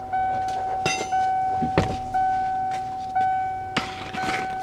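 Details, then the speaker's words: 1992 first-gen Ford Explorer, replacement (China-made) fuel pump, key turned on with float at top: steady even mid-pitched whine with some clicks and handling noise, a healthy fuel pump priming. "we'll see if it kicks on for Prime put that right there I'm going to turn the key on that's what I want to hear"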